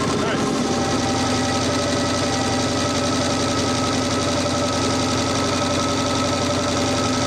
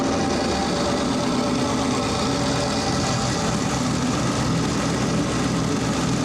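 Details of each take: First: Audi Quattro race car with 4-turbo LS V8 swap and AWD, first start after an engine-hoist rebuild, warming up: steady even burble holding one speed, no knocks or misses; normal idle. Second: Four-turbo AWD LS-swapped Audi Quattro race car after boost reached about 27 psi: a rough, uneven idle with a hissing, chuffing rush of heavy blow-by; they suspect a holed piston or snapped rings, and the engine will be pulled apart.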